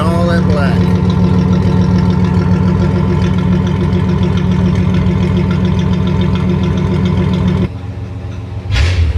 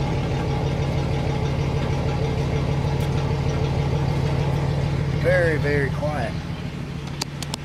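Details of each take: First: 1985 Chevrolet Celebrity 2.8 V6 running before a muffler replacement. Deep, loud, unmuffled rumbling roar from the blown-out muffler; an exhaust manifold leak can sound similar. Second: 1985 Chevrolet Celebrity 2.8 V6 after replacing a blown-out muffler: smooth steady low idle with a soft even exhaust note, no rasp or blatting; not fully quiet because of a gutted catalytic converter.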